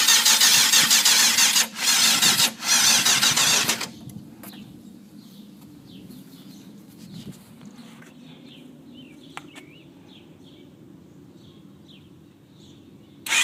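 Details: 1992 Yamaha FZR600 cranks fast and evenly in bursts but never fires. The carbs were cleaned the night before, the fuel was changed, and the fuel pump clicks until the carbs fill; the owner suspects fuel isn't passing through.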